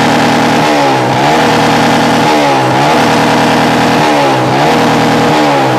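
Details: Yamaha Jupiter MX with open exhaust, revs climb then sag and stumble about every 1.5 seconds, won't take throttle; suspected too little or too much fuel from carburetor setting, otherwise ignition, not confirmed.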